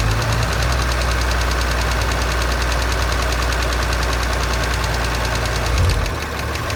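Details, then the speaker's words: 2017 Audi S5 (B9, EA839 V6), 67,000 miles: fast, regular light tapping over a steady idle, audible on bank two, following engine speed; suspected failed rocker arm, and rocker arms were then replaced. "So I can hear a quite audible tapping on bank two. Hear the hydration filter. Definitely say there's something going on on bank two."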